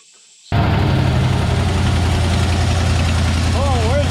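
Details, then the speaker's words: 1967/68 Ford F100 with possibly original motor, first idle in 17 years: catches after short crank, steady even low rumble, no misses, no smoke; two holes in the muffler. "look at that beauty she is idling two holes in the muffler"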